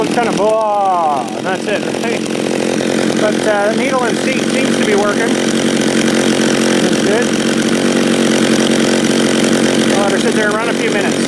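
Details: John Deere EV45 two-stroke chainsaw, made in Japan, after a carburetor rebuild, cutting wood. Holds a steady high rev through the cut with no bogging or surging. Runs clean.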